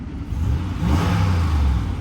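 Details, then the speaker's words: Flood-damaged 2016 Lexus RX 350, warming up with temperature gauge about a quarter up: short rev climbing smoothly with an even deep note, no knocks, misses or rattles; smooth engine. "The engine is smooth. That is a smooth engine."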